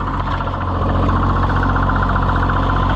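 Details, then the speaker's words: Oliver 77 tractor, first run after reassembly: an engine ticking over steadily with a rough, repeating clunk about three or four times a second. The clunk stops when the clutch is pressed, so the owner rules out the hydraulic pump. Source unknown. "that's interesting I don't know what that clunking is"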